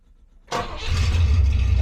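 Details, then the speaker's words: 1972 Rover 3500 P6 V8 automatic with holed rear exhaust box removed: after a short crank it settles into a deep, loud, booming rumble. Loud exhaust from missing rear silencer. "yeah I thought about straight piping it from there to the box but yeah you need that back month later that is loud"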